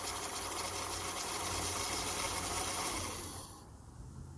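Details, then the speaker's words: 1999-2003 Acura TL: fuel pump buzz heard at key-on, then starter churns a few seconds and engine catches to a low steady idle, showing the fuel pump works. "And that is an indication that the fuel pump works, and it is going into the motor, and it starts the motor right up."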